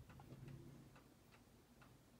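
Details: Seiko 7548-700F quartz watch during restoration: soft, light ticks over a low room hum, nothing irregular or dragging; normal ticking.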